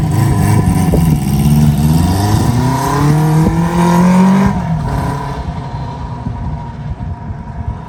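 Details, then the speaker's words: 1973 Harley Sportster Ironhead engine, choke on, run weekly with Seafoam in the tank: V-twin pulls up through a few blips with a steady even beat, then settles to a lumpy idle; running fine. "all right she's running pretty good I uh I like to start it up at least once a week now and run it we put some seafoam in the tank and uh you can see she running pretty good"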